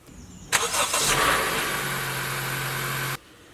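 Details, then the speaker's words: 2018 Honda CR-V, Earth Dreams 2.4 L, 150,000 miles, no codes: cold-morning start with a metallic rattle lasting a second or two before steady idle; timing chain tensioner being replaced. "Now, the issue is when you go to start this car, especially cold mornings, for a second or two, there's a noticeable rattle coming from the engine."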